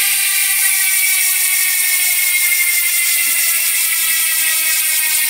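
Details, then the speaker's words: Hasins Pro 7 MTB rear hub, 32-spoke conversion, sealed bearings, 6 pawls, on Scott 4.0 frame, freewheeling: loud fast even high ratchet buzz, no grinding or skipping; pawls and bearings fine. "Yan guys, yan yung tunog ng Hasins Pro 7 MTB hubs kapag naka-free wheel."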